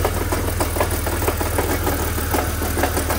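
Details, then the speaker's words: Car at idle with a quick, even knock about four per second over a steady idle; the owner suspects the harmonic balancer or something inside the engine, another voice says the transmission, and the source remains unclear. "I am pretty confident it's a harmonic balancer it's definitely sounded about where the noise is from or it's something inside the something inside the freaking motor"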